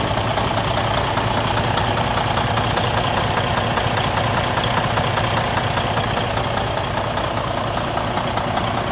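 Loud diesel idle with a steady heavy knock, around 100 a minute, sitting under the clatter; points to an internal engine problem.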